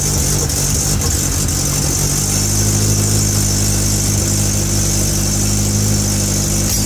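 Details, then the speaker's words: Hyundai Elantra (Avante) after repairing broken wires that caused a misfire, no intercooler fitted: steady, even idle with no skips, slight exhaust puff from an open muffler clamp; engine running smoothly on all cylinders. "It doesn't got no mis fire and nothing like that. Obviously, it got muffer leak because it's open in the clamp over here and it also got no intercooler and nothing like that."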